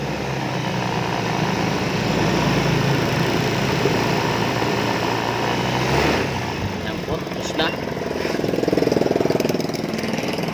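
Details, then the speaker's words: Honda Beat FI 125 scooter after the corroded spark plug cap, the cause of it starting then dying, was dealt with: steady, even single-cylinder putter that holds without stumbling or dying out; the scooter now idles properly. "Ayan spar plug C lang kasi corrosion na sa loob Ayan guys B Okay na itong motor"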